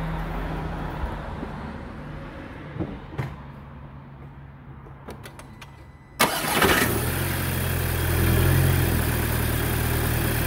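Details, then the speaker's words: MK5 GTI starting after N80 purge valve replacement for a purge flow error: quiet clicks, then the engine catches, flares up and settles into an even idle with no stumble or errors. Normal start and idle. "it's all back together now and start it up smoothly no issues no errors just a nice it's clean and smooth thanks guys"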